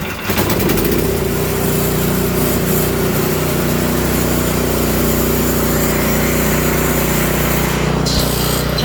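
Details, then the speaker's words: Toro Power Clear 721E electric-start snow blower, after ultrasonic carburetor cleaning and rebuild, fresh fuel and oil checked (previously wouldn't start or stay running): steady even buzz, no surging or hunting; running properly. "there you've got your Toro Powerclear 721E. How to clean the carburetor on it, get it back up and running if you got bad gas in it, or if it's all gummed up because of the ethanol."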